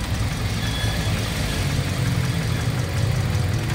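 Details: Toyota Vios Dual VVT-i after being mistakenly fueled with diesel, fuel drained, new spark plugs and filter fitted: heavy uneven low throb at idle with irregular shake; misfire traced to weak ignition coil spark.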